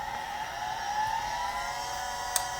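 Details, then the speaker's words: 1980s Chaplet Halikan LA-30A laptop (286, 2 MB RAM) powered on after the old dead battery was plugged back in. The hard disk spins up as a clean whine climbing smoothly in pitch, then one light click, during BIOS and memory test. Sounds healthy. "Oh, yeah, we got a BIOS and memory test happening. Hard disks, spinning, sounding pretty healthy."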